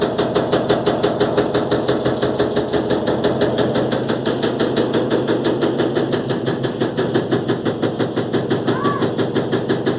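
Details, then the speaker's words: Electrolux LTE12 washing machine during spin, suspension test: hard even banging about three times a second; the hose is slapping against the drum basket. "Gente, esse barulho é que a mangueira tá batendo no cesto da máquina."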